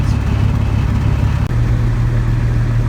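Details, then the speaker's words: Van's RV-12 aircraft engine at annual inspection, warming up toward operating temperature (58 of 120): steady, even low drone without surging or misfiring, running much more smoothly than before; normal smooth running. "there it is, and you can't feel it, but you might be able to sense that it's running much, much more smoothly than it was. It's very smooth"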